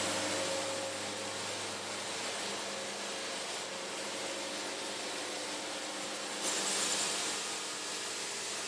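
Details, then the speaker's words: Engine-driven sawmill cutting hard through a wide board after a small band alignment adjustment: steady engine drone under a bright, even singing hiss from the blade, cutting cleanly with the band running true. "Hitting it pretty hard. Band's liking it, that little adjustment."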